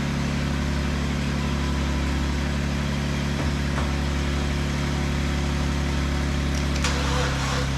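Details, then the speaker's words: 2012 Chevy Cruze with the engine just installed, jumped from a Jeep, before plugs and coil pack are fitted: a steady low churn of the starter at about three beats a second that never catches; cranks but won't fire. "Alright, definitely don't sound very good."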